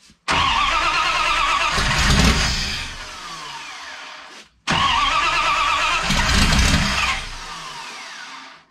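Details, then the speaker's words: '51 Dodge, 5.9 Magnum with eBay GT45 turbo, Holley Terminator X EFI, Dual Sync distributor and LS coils, first fire with idle air control doubled. Cranks and catches twice, runs raggedly, then dies. Owner unsure if too much or too little fuel. "does it seem like it's got too much fuel or not enough fuel kind of hard to tell right now"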